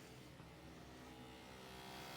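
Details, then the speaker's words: Car brake vacuum pump running with ignition on after the relay was refitted and a connection repaired and sealed during brake fault diagnosis: faint, steady electric hum at even pitch, pump working normally. "if I plug it in, like I say, if all is well and good, turn the ignition on, this should now work. I can hear the pump."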